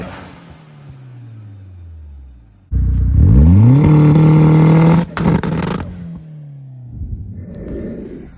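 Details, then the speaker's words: Big-turbo 2G Talon on a stock block, testing anti-lag: revs climb to the limiter, then sharp irregular exhaust cracks and bangs as timing is pulled to about -20°, struggling to hold rpm. "Um, but you can hear the car when it pulls all that timing to like literally - 20. Like struggle to hold the RPM."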